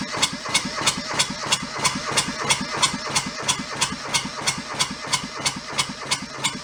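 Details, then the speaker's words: Junked small Kubota diesel from a scrapyard, cranked with throttle fully open: steady starter cranking about three compression strokes a second, never fires; air suspected being sucked into the fuel line, possibly a missing pre-pump, stopping the start. "anywhere that it would suck air would be an issue if it runs out the hose"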